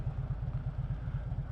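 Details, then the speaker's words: Big twin with noisy primary, owner plans Hayden M6 chain tensioner: lumpy idle at about nine pulses a second, then heavy clunk shifting into gear at a stoplight; cause suspected, not confirmed. "And this does have a big clunk when you put it into gear at the stoplight. I will give it that. This bike is a major clunker."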